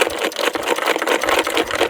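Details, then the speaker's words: DTZ 513BN petrol walk-behind tractor running: loose bolts lying on the plastic gearshift housing make a fast tinny buzz over the engine beat. Fix is to wrap the housing with cloth. "Наприклад якщо у вас буде тут щось лежати в нас зараз тут лежать болти в вас будуть тут лежати ключі або будь-що ви будете наприклад працювати І у вас буде завжди ось такий звук тільки вібрація буде побільша"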